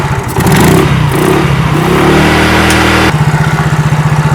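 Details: Fuel-injected motorcycle that won't hold idle and won't rev, filter cover off during throttle body sensor cleaning with carb cleaner: revs surge and sag into a lumpy, pulsing idle that struggles to run; rough idle.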